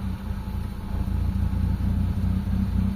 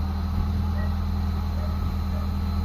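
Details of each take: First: Mitsubishi Lancer GLXi 4G92 manual whose idle drops and stalls in traffic with the A/C on: before cleaning, the idle stays low and slightly uneven with no rise when the steering is turned, traced to a carbon-fouled idle control valve. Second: Mitsubishi Lancer GLXi 4G92 manual, previously dropping idle and stalling in traffic with aircon; cold start after cleaning idle control valve; steady low hum with no dips or surging, smooth stable idle.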